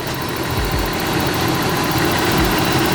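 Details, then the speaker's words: Nissan Cefiro A31 after a new OEM fuel pump, idling rough with a lumpy, stumbling thud and the engine shaking; a bad misfire, cause unconfirmed, owner suspects an old distributor cap and rotor. "there is a bad misfire happening and I don't know exactly what it could be"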